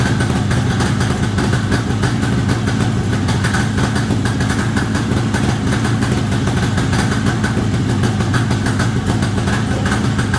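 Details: 1973 Columbia snowmobile two-stroke, indoors, after the crankcase pulse line was restored to the rebuilt diaphragm carb. Fast, even burble holds a steady idle without dying or missing: normal idle.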